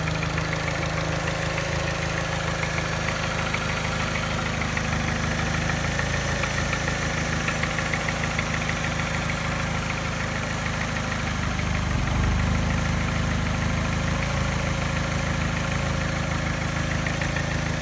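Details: Mini petrol engine at idle: mild, fairly regular tap that disappears above 1200 rpm, with rough, shaky idle and a slight miss the scanner misses; timing chain, tensioner and piston rings replaced, issue persists.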